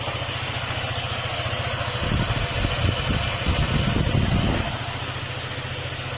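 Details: Honda ADV150 scooter after replacing block and fuel pump to cure a cricket-like engine noise: even, steady idle putter with a brief rise, no knocks or rattles; engine now sounds healthy.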